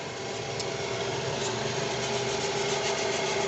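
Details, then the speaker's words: Toyota Alphard 2AZ-FE petrol engine running: steady rough hiss and faint whirring from the rear belt tensioner pulley, whose bearing turns heavy; likely source of the noise complaint. "Lalu terdengar suara aneh yang kami perhatikan. Ini agak kasar. Itu berasal dari puli penegang belakang , yaitu"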